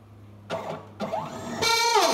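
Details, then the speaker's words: Stepper motor on a small CNC router with Arduino and CNC shield, set to speed 2000. Whine sweeps in pitch, then skips and drops out; weak enough to stop by hand, so it loses torque and stalls at excessive speed. "vendo com 2 mil ela tá fraca eu consigo parar ela aqui"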